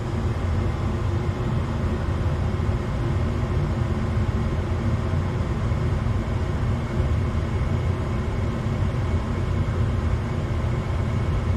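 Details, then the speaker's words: Gas furnace after repair of transformer, control board, blower motor and capacitor: igniter glows, gas ignites, smooth even low roar of the burners with no surging, popping or rumble; burners firing normally. "I hear the gas controller just opener should come on next there it goes it's glowing should ignites gas here any second boom perfect"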